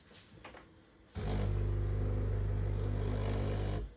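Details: Breville coffee machine with a no-water-out clog fault, after reassembly and refilled with water. A strong, steady low buzzing pump drone for about three seconds; the pump draws and pushes water normally, a massive difference from before.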